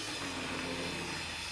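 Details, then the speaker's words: Old Hornby Hymek model locomotive in BR blue, revived, running at reduced power. A soft, steady whirr and hiss at an even pace with no knocks or catches: running smoothly and healthy. "and there we go a fully functioning hi Mac I said that's quite a good runner really considering what it's had as well when it's age and all that"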